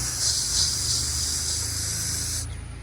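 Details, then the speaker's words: Gol/Parati/Saveiro/Santana engine idle rising and falling from false air; bonnet open, steady sharp hiss like a leaking tyre over a low idle rumble then cutting off, a vacuum leak, possibly the brake servo. "chega a próxima e ficar tentando identificar de ouvido um som semelhante ao som de pneu vazando pneu de carro vazando tá"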